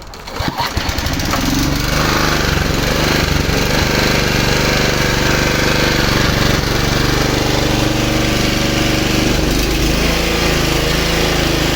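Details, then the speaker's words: Low-hours Honda HR215 lawn mower, formerly seized engine, after idling about 15 minutes with no smoke: pull-start catches within a second and settles to a steady, even putter, briefly sounding like it might stall but running healthy. "almost sounds like it's gonna like it's gonna shut off and then it doesn't well color me amazed"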